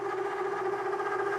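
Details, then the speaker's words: Milling chatter with a 3/4 inch solid carbide endmill cutting pre-hardened D2 (about Rockwell C20) at over an inch of engagement: steady, piercing ringing tone through the cut from endmill and machine deflection. "10,000 cut over an inch thickness engagement is a little bit challenging for this. You hear the chatter?"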